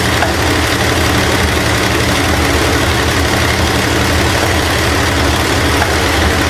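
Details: 1968 Ford LTD, long abandoned, after intake and water pump refit: loud rough idle with busy metallic valvetrain chatter and popping back through the carb; stuck valve or bent pushrod suspected, owner also suspects loose timing chain jumping time.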